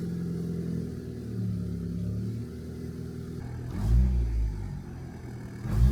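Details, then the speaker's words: Turbo Honda Integra: clean, crisp blips from steady idle with no stumble or misfire; idling at 14 AFR in open loop, revving normally. "Not gonna lie, those revs actually feel clean. I think we're getting somewhere."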